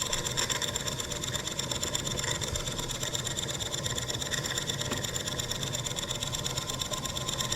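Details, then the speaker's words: German showman's steam engine as canopy lights are plugged in: quick regular chuffing over a hum, about three beats a second, engine audibly dragging down under the electrical load; engine slowing under generator load. "we're going to plug our canopy lights in here as soon as i knock this thing off you guys hear that engine drag down"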